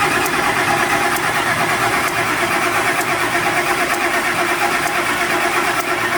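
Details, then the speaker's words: 2006 Ford F250 5.4 crank no-start, no codes, after bodywork; spark and injector pulse confirmed, fuel pressure and compression on number 1 OK: even cranking with light tick, never fires; suspected jumped timing, cam signals out of sync. "Good spark, got good injector pulse. So here's what I think. I think it's jump time."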